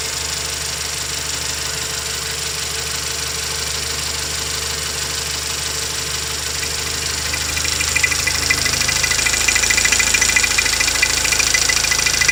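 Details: 2016 Toyota Camry 2.0 6AR-FSE, 22,000 km, at idle: fast, fairly even ticking knock near three per second that grows louder partway through; internal engine knock, cause unknown.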